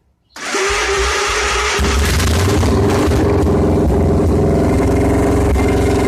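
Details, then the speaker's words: Victory motorcycle after engine swap, new blacked-out exhaust with no mufflers fitted yet; quick crank then V-twin fires and settles to a loud even idle through open pipes, sounding healthy. "this exhaust system exits much higher up but at least it's the point where the bike can be run and it'll be probably pretty loud"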